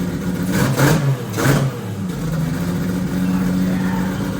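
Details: 2JZ-swapped Toyota Celica, first start after a three-year build: two quick throttle blips then lumpy, slightly uneven idle with black smoke; running very rich because the fuel pressure regulator was accidentally set to about 75 instead of 60.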